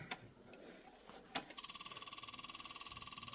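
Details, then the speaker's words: Yamaha FZR1000 Genesis stored unused for a long time, ignition cycled, fuel tap thought to be on reserve: fast even ticking of fuel pump, about a dozen clicks per second, not building pressure; weak battery, needs jump box. "Let's cycle the ignition a couple of times. You hear the fuel pump clicking away."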